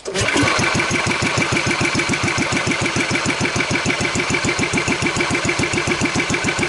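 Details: Wheel Horse 753 lawn tractor, single-cylinder engine run on choke then given throttle: steady fast running with a scratchy, rattly edge that seems to be getting worse. Belt loosened and flywheel found still tight; the noise is a guard rubbing.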